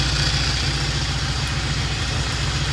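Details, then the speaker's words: 1960 Triumph 350cc 3TA twin, started on the second or third kick: a quick, steady low putter with even firing pulses and no skips; good idle, good oil flow, charging, ready for a road test. "so it's uh sounds good uh good oil flow we checked it started right up second or third kick and uh good idle"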